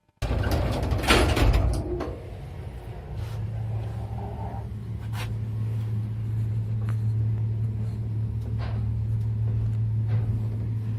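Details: Elevator after replacing counterweight guide shoe liners and oiling the rails, travelling up: a few door clunks then a steady low hum with no knocking; smooth, even running.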